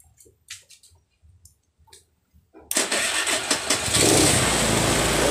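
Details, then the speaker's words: Honda Vario scooter after battery charging: electric starter spins briefly and the engine catches at once into a steady, even idle; hand starter now works, normal electric start. "Mau sekarang, mau setir tangannya udah. Ternyata setir tangannya udah mau ini."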